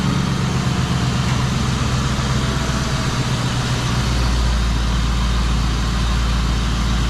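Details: Idle right after new spark plugs, wires and coil packs on a 1996 Mustang GT, cold air intake refitted: deep, even V8 burble with steady firing and a slight mid-clip rev rise; smooth, healthy idle, no misfire.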